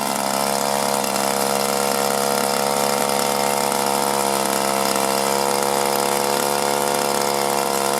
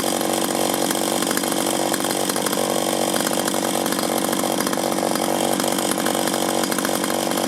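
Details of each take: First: 1983 Echo PB400E two-stroke blower, carburetor never adjusted, fuel filter likely original, warmed up then full throttle: screaming flat out, pitch sags twice and claws back; bogging and surging, owner suspects one of two causes. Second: 1983 Echo PB400E two-cycle blower, warmed up and throttled up outdoors after a new fuel line and fuel filter, exhaust-port decarbonizing and air filter cleaning: steady high-pitched buzz at full throttle, no bogging or surging; normal high-rev running.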